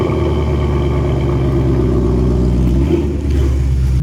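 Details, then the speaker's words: 2020 Ford Mustang GT V8 cold start: deep, even rumble holding a steady fast idle, no knocks or ticks, healthy exhaust; normal cold start. "so I'm gonna go ahead and put you guys down for a little cold start so you guys can hear it because the exhaust those sounds beautiful"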